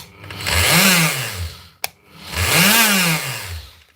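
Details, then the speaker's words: Bosch GSH 5 CE demolition hammer, roughly a 2024 machine: the motor spins up and winds down twice with a free whine and no hammer blows. Piston or conrod failure was suspected, but the gears were found stripped; the fix is a new armature and gear plus a service kit. "That's not a piston or a Conrod. It's the same problem as before. Stripped out gears."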